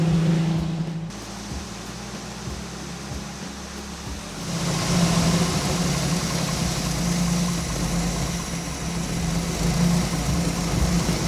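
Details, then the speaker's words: 1987 Jeep Wrangler, carbureted, after fitting a fuel pressure regulator to stop rich running, warming up: steady fast idle with an even low drone that rises and holds higher after a few seconds; seems a high idle, still smoking. "I want to let it warm up a little bit, get the juices flowing. Seems kind of like a high idle. It's definitely still smoking."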